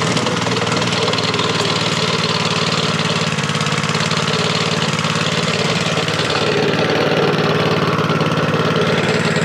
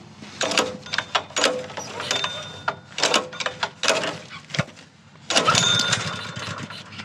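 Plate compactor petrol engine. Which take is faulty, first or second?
second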